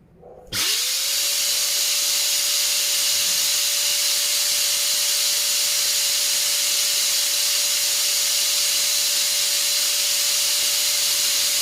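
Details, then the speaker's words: Multipro ESP99HP electric spray gun after replacing standard bearing with a better one: spins up fast to a steady high hum under a loud even air rush, seemingly faster; noise tested against about 110 dB before. "ya ada kenaikan ya ada kenaikan dari suaranya"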